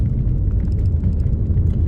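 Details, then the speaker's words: Audi TT Mk1 on first test drive after turbo repair (new turbo intake pipe, new PCV valve system, valve removed), light load in 30 mph zone: low even rumble, quieter, less throaty and smoother, no whistle or rattle; normal running. "already it sounds less throaty already it sounds smoother"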